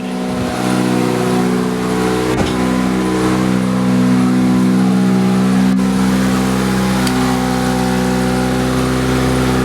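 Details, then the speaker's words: 2003 Toyota Corolla at steady idle after a new exhaust system: a fast, uneven puffing tick about three or four a second over the engine hum. Still leaking, less than before; the exhaust hanger had come off its welds. "it's definitely still leaking somewhere not as bad"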